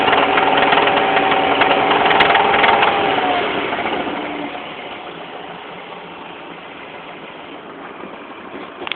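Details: BMW M43 engine at idle. A sharp, regular ticking knock about three to four per second rides over the engine and fades as the revs settle; severe knock, cause unknown.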